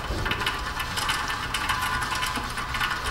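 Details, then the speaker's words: 2014 Toyota Prius rear wheel hub turned by hand gives a gritty scraping rumble with repeating rough pulses; worn, noisy, rusty bearing, found during a brake inspection for a rear grinding complaint. "extra noisy bearing over here as far as crap getting in the back there"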